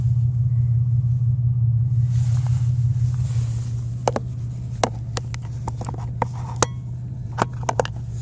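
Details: 2001 Pontiac Grand Am: heavy loud low rumble from the engine with scattered sharp clicks, present on starting, with vibration and noise getting worse when accelerating.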